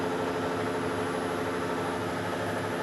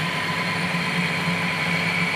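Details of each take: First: Weiler Matador SV (1972) lathe machining a generator motor coupling, after turning the cutting insert following a bad-sounding cut; steady, even machining hum without chatter, a smooth normal cut. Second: 1972 Weiler Matador SV lathe, slow fine facing cut on a generator motor coupling: steady harsh hiss with thin high ringing, bad sound and rough finish from a worn insert, improved after rotating it.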